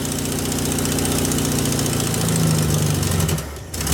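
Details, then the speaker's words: VW Beetle with new Pertronix distributor and coil: lumpy uneven idle wavers a few seconds then dies; timing now closer to right, owner suspects carburetor adjustment is way off; rough running then stall. "That's more like the timing should be, but then it dies. So my carburetor must be way off."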